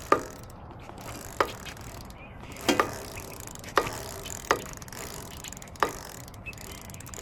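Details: Schwinn Hurricane e-bike with 14-inch wheels, rear hub motor, on its first ride: a sharp tick about once per revolution as the spun rear wheel slows. Owner suspects the rear brake needs adjusting; cause not confirmed.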